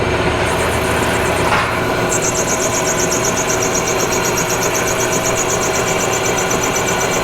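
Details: Cheap used non-CNC manual lathe making its first cut under power feed: even motor drone with steady high whirring chatter from the feed, no knocks or grinding; lathe runs normally.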